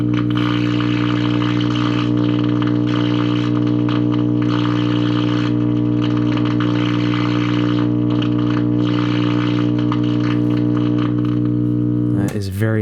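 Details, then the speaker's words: 1951 GE tube radio receiver first powered up, all tubes lit: loud steady low hum vibrating the whole case drowns the audio while tuning, with only a faint station warble mixing in; audio output tube confirmed working. "you know the hum is so loud you can hear it kind of just mixing and making all sorts of interesting noises"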